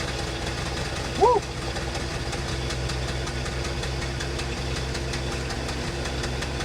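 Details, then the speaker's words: 1974 Ford F-250 Ranger SuperCab straight-six after a tune-up with new spark plugs and wires: steady, even low-rumble idle with no misses or knocks; engine sounds healthy and smooth, normal idle. "Sounds pretty gosh darn good. That sounds pretty good."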